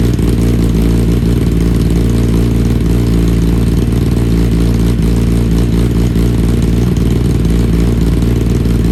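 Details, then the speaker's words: 2020 Kawasaki ZX10R rebuild after wreck, new slip-on exhaust, stock ECU untuned, shooting flames; loud raspy four-cylinder with popping, stumbling at low revs; owner suspects needs tune; low-rpm breakup. "I think a bike might need a tune now with the ECU having that exhaust like that because it breaks up a little bit in low RPMs"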